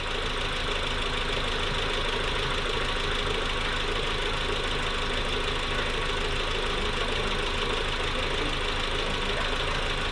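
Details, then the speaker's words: Newly built engine in a Mk4 at first startup, idling steady at 850 to 900 rpm without bouncing or hunting, even low rumble with a light fine tick; normal idle, vacuum setting correct, no check engine light. "850 to 900 just about we're solid it's not bouncing that's perfect that means vacuum lighter set correctly"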